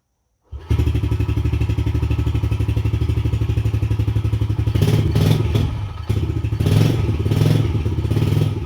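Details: Yamaha TTR110E after air filter and handlebar replacement: single cylinder fires up and settles into a steady, even thump at idle with a couple of light blips; runs fine, normal running.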